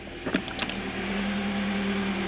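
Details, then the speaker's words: 2014 Toyota Corolla, 120,000 miles, previously rough idle with misfire: after repair, short crank and catch then smooth steady hum, misfire count at zero, check engine light still on: normal idle. "oh man this thing is running so much smoother now"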